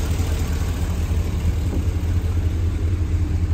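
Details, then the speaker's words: 2014 Isuzu NPR box truck, GM 6.0 L Vortec gasoline V8, automatic, 120,000 miles: low, smooth, steady rumble at idle with no knocks or misses; normal idle. "This is a GM engine. You can hear it just purring away right there, but a very reliable engine."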